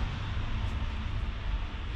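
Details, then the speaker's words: VW T2 campervan with 1.9 TDI conversion, cheap electric oil return pump draining oil quickly, mounted at the back behind the engine: steady loud low drone with a rough buzzing edge; very noisy but working normally. "it is very noisy i have to say but it works just great"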